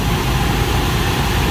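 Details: Carrier rooftop unit (RTU) blower running after blower bearing replacement (old bearings sounded rough): smooth, constant low rumble, no scraping, squeal or knocking; technician thinks it vibrates slightly.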